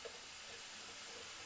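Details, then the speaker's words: 1989 Honda Prelude A/C system under air pressure test before refrigerant charge: faint, steady high hiss of compressed air escaping from an untightened fitting, nothing else running; air leak at loose fitting. "air is just coming rushing out of this fitting right here and as you can see I didn't tighten it"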